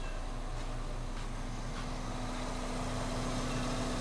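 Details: Hyundai Getz after head gasket and seals were replaced and a new engine mount fitted, started after repair: steady, even idle about three to four pulses a second, smooth low hum, no knocking, ticking or stumbling; normal idle.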